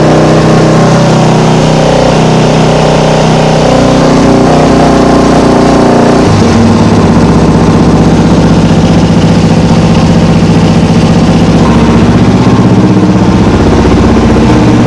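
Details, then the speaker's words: Single-cylinder motorcycle, cold, just restarted after carburettor rebuild with new accelerator pump diaphragm, fuel possibly low on reserve: loud, uneven running that stumbles and bogs as revs rise; runs better, owner thinks earlier loose clamps let air in. "But that sounded promising. Seemed to run a bit better too. I think last time it was cuz these clamps weren't tight. She must have been sucking a bit of air."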